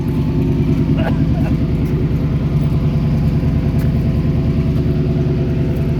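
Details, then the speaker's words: 1971 Chevy Cheyenne C10 pickup, 350 small-block V8, first start in February after sitting since November, now warmed up: even, deep idle with a steady lope and no dropped beats, firing cleanly on all cylinders; normal idle. "all right she's warmed up so she's firing on all of them now"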